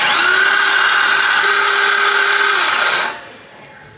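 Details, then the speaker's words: LS-swapped Datsun 280Z, freshly built engine pre-oiled with 5 quarts through the sender, injectors, fuel pump and coils disconnected: even starter whine turning over for about three seconds without firing; 30 psi oil pressure shown on the dash. "power disconnected from the injectors should have no injector no fuel pump I have the coils undone I'm going to crank it"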